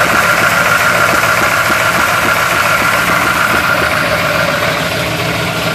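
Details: 1971 Chevy Blazer V8, cold start: uneven idle with irregular lope and stumbling beats around three to four per second; rough idle, cause unclear.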